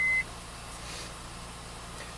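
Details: 2004 Honda Pilot after replacing the starter motor for an intermittent no-crank/no-start; short chime, then a quiet, steady idle hum with no grinding or clicking; starts and runs fine.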